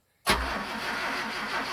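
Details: 1973 Land N Sea Craft boat, several years sitting in desert, after starting fluid and a little throttle: sharp start-up burst, then uneven low churning that never settles to a firm idle; engine still struggling to catch, cause unconfirmed.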